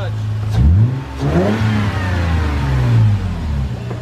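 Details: Lexus IS300, under 69,000 miles, cold engine, revved lightly: crisp free revs rising and falling cleanly from a smooth idle, no knocks, ticks or rattles; engine sounds healthy.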